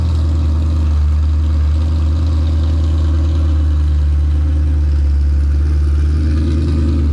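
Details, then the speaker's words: 2005 Pontiac GTO V8 at idle: deep, even, steady rumble with no knocks or misses, so the motor sounds good. The car barely moves and revs out, slipping above 4–5 mph, so the fault is in the rear differential, not the engine. "Yep. Motor sounds good."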